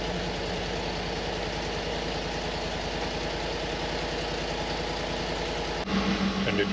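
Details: 2012 Ford F-150 5.0L V8 with a bad miss and many engine and dash lights on: lumpy, uneven idle pulsing about three times a second with dropped beats, blowing smoke rings; code P0308 misfire on cylinder 8, a dead cylinder.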